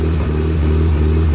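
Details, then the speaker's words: Used Nissan SR20DET run on a pallet out of the car, started by jumping the starter: strong, steady drone with even firing, no knocks or rattles, good oil pressure; a solid runner, compression test planned. "No. Look at that. sweet. That thing's a good solid runner."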